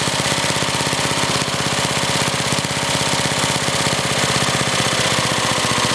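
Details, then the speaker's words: Older Briggs and Stratton, one-piece Flo-Jet carburetor: idle speed screw bottomed out, slow lumpy chuffing idle about three pulses a second; idle speed too low, target about 1,800 RPM. "now I'll show you how the idle speed adjustment works as you can see I bottomed it out and try to Arrow too slow and"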